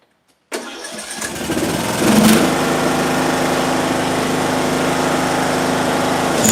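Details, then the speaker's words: Small single-cylinder engine in a coil air-gap test, coil-to-flywheel gap widened to 0.020 in: fires up and settles into a steady, even run with no misfires or knocks; still running well, ignition healthy. "Okay. So, it's still running pretty good at 20,000."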